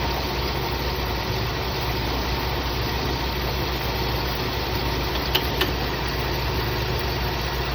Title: Is this a bad ac clutch or bad compressor?